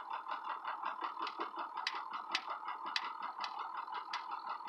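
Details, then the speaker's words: Ford 6.0 Powerstroke diesel, no power, no codes: rough idle with uneven stumbling rhythm and irregular sharp knocks about once a second, no accelerator response; Torq Pro shows VGT at 85%, smooths near 2,000 rpm as VGT drops to about 45%. "really rough idle number spots from the accelerator pedal Torq Pro shows vgt percentage at 85%"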